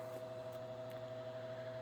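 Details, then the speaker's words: Early-1970s Hoover Model 6710-12 12-inch two-speed oscillating table fan (Knapp-Monarch made), running while oscillating: steady electrical buzz with a mid-pitched tone over fan hum from a loose stator winding coil; windings otherwise good. Draws 0.89 A low, 1.1 A high. "You can hear that motor buzzing, like I said, with that loose winding coil in there. That's what causes the buzz, but the windings themselves are still in good shape."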